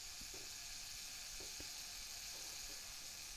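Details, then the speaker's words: Pentax MX film camera, self-timer running about 12 seconds: faint steady buzzing whir with light clicks, then shutter fires; clockwork runs evenly, nothing binding; normal self-timer run. "And about 12 seconds. And you can hear that shutter go off."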